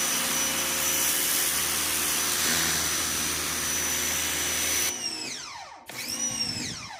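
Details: New Ryobi 2000 psi electric pressure washer with jet nozzle, cleaning wall and concrete: steady hissing spray over even motor hum, then a falling whine as it shuts off; pumping and spraying normally.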